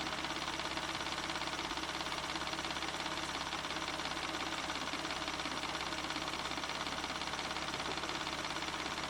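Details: 1994 Ford Probe GT, held at 3000 rpm: a steady, smooth hum with no knocks or ticks; gauge shows over 50 psi oil pressure, the low end of spec; intermittent idle oil-pressure drop is under investigation.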